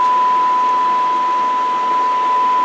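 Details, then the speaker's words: Radio receiver under bench test with a test tone injected at 100 millivolts, squelch off and RF gain wide open: a steady tone over a constant soft hiss. The hiss is the receiver's own typical noise riding on the signal. "Why don't you hear it again? And you can hear the noise. This is typical."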